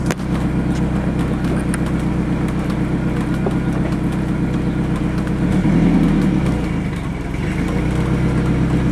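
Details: Ford Ranger 2.3 four-cylinder, 5-speed, with headers, straight pipe and Thrush glasspack, recorded near the exhaust: deep, steady burble swelling cleanly on a short rev and settling back; loud but healthy normal exhaust note.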